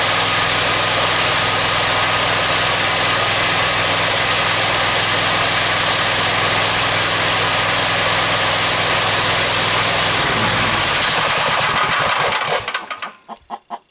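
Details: Engine driving a DC generator through a pulley, switched onto load around 930 RPM and 55.5 volts: a loud steady drone that bogs and stalls in slowing pulses. It is lugged by too tall a pulley and may not run at idle.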